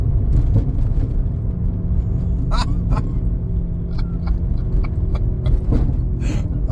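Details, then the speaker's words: Neglected, cheaply bought car driven on the road; heavy rolling rumble with scattered sharp clicks and knocks through the drive; CV joints badly worn. "so we got CV boots that uh sorry CV joints that are trashed absolutely trashed and I will insert the video of me driving this car here oh listen to it"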